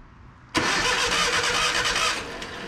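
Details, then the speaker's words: Abandoned 1980 Datsun 720, battery grounded straight to the engine and wired to the solenoid hot side: a sharp onset, then a fast, strong, even cranking whirr for about two seconds. Normal cranking. "we're gonna get these wires out of here she sounds like a little firecracker"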